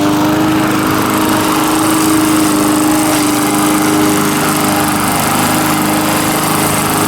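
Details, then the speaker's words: Small single-cylinder mower engine, earlier a no-start, now running, with the muffler loose and flopping: steady, even high-speed drone with no misses or surging; running healthy. "surprisingly with that muffler flopping around it's not that loud seems like it's running good now though"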